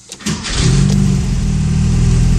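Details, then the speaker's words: 1973 Porsche 914 2.0 with fuel injection: a brief crank catches almost at once and settles into a steady, even low idle with no stumble. A quick, proper start and idle. "that's something you don't hear very often that's the sound of a Porsche 914 starting quickly and idling properly"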